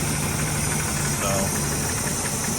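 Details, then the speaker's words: 1981 Chevy K10 V8 idling while warming up after an intake/exhaust gasket change. Even, steady low rumble with no ticking or puffing from the manifold, much quieter than before the repair: a normal idle. "Cranks right up. We're gonna let it sit here and run for a little while. Get warm and circulate some water. You can already tell she's much quieter, a whole lot quieter than if you go back to the original video."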